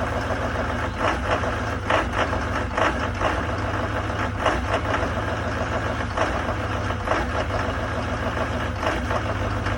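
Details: 2019 GM Duramax diesel pickup, cold start at 15 below zero, rough idle present since new. Uneven, lumpy clatter with irregular surges about every second; cause not identified.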